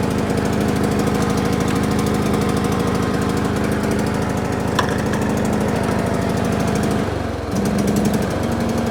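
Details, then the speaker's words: John Deere L100 mower that hadn't run, on its first rip with flat tires: small single-cylinder engine chugging unevenly, stumbling and surging with a brief dip. Rough running; owner suspects bad fuel based on the smoke. "we're going for a rip ties are really flat and it doesn't sound right but that's"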